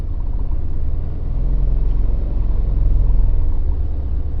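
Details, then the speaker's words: Mini with a manual six-speed gearbox that rattles in every forward gear: rolling in reverse, only a low steady rumble with no knock or rattle. Normal reverse; owner suspects a bearing on a forward-gear shaft, since reverse is on a different shaft. "2, 3, 4, 5. Nothing."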